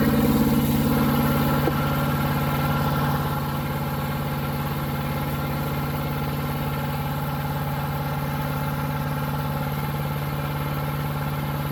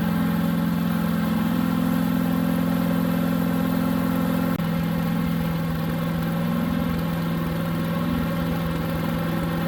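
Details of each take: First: New Harbor Freight Predator 212 chipper shredder engine that only ran on choke, after fix: steady even idle, smooth unbroken beat, no surging or stumbling; running healthy. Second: New Harbor Freight Predator 212 chipper shredder on fresh oil: steady single-cylinder drone with choke about three-quarters on, pitch dipping slightly midway; engine runs only on choke, fuel bowl then drained.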